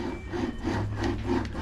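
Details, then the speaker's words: Radon Swoop enduro mountain bike with carbon front triangle, during stripdown: dry, gritty rasp repeating about three times a second as the cranks turn; worn bottom bracket confirmed as noise source, replaced. "donc là ça part en démontage de boîtier de pédalier j'avais prévu et là je confirme la source du bruit"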